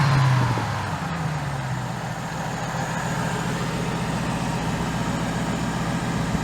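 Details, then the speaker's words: Old Ford Crown Victoria V8 idling with a low, even rumble, steady without hunting or dipping after manually adjusting the idle up at the throttle body; it had been idling low, surging and stalling when warm; no check engine light; pump noisy. "that sounds a lot happier that's your pump makes a lot of noise but it's still pumping"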